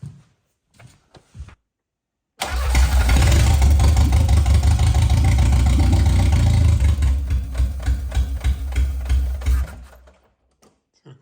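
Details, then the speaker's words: Audi 80 no-start: about seven seconds of steady cranking at roughly three beats per second, never catches; fuel pressure reaches the injector unit but goes no further, cause suspected, not confirmed. "U: Yeah, the fuel gets there, we've got pressure, but it isn't going further than this point"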